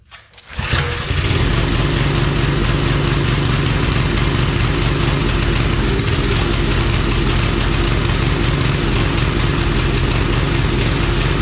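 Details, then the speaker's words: Old Briggs & Stratton 5 hp wood splitter engine after carb work, main jet adjusted a lot, run without air cleaner, choke seems to float; starts quickly then runs rough with a wavering rising-falling beat. Owner suspects overly sensitive governor hunting. "Definitely not running good. I'll put you in the danger zone here. It seems like the governor is like overly sensitive or something."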